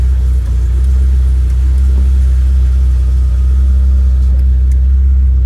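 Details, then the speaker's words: 1991 Vauxhall Nova GSi four-cylinder, off the road since 2005, on a cold start in neutral with the clutch depressed. It took time for fuel to pump through, then idles with a deep, steady, even rumble and no knocks or misses. "and there we go took a bit of time for the fuel to pump through but we're running awesome"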